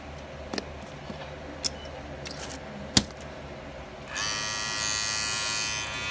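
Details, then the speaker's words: Clipper with Wahl red premium guards, after bending the clip for a snugger fit on the blade: handling clicks, then a loud high buzz with coarse rattle; guards still rattling, need more bending. "got my zero back so they're still rattling"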